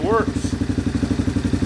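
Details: Yamaha Wolverine four-wheeler with its brake switch popped out, cranked up on a cold morning: steady, even firing pulses at a fast clip, no stutter or cutting out; engine running and revving freely.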